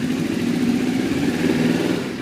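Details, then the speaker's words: Motorcycle at 72°F, choke off, carb sync vacuum hoses capped again after demonstrating a vacuum leak: steady, even idle with a smooth, consistent beat and no hunting or surging; running healthy. "if I cover up those hoses again hoses are covered choke is off ignition on starts right back up and runs fine"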